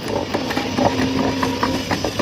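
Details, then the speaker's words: Easy-bike (e-rickshaw) motor under load during controller repair, spinning freely unloaded: rough, uneven clattering with irregular knocks and a wavering tone; the motor jerks and won't take load, controller fault. "মানে ঝাঁকি মারতেছে, চলতেছে না।"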